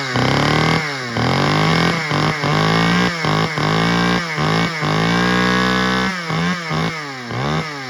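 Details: Stihl 009L chainsaw from Marketplace, first outdoor start; fires and revs up and down in bursts with a crisp, even two-stroke buzz; broken fuel line leaked when tipped; normal running.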